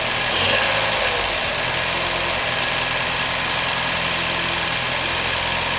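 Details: 2014 BMW 116i F20 at idle: steady idle with a hissy, busy chatter on top and no clear knock rhythm; dealer says it is normal. Abnormal engine noise, cause unclear.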